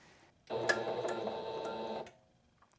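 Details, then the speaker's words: Singer sewing machine that wouldn't stitch or pick up thread, running after disengaging the bobbin winder: sharp uneven tink three or four times a second over motor whir as the needle strikes the hook assembly, hook timing off. "That needle's definitely hitting something. I'm hearing a tink, tink, tink."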